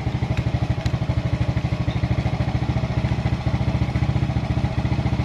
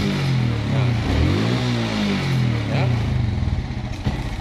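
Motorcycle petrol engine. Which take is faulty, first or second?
second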